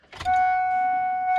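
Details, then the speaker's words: 1999 Ford F-250 after a 5.4 engine swap: a short buzz settling into a steady even hum as the fuel pump kicks in and primes normally. No fuel leaks found. "fuel pump did kick in I heard it yeah"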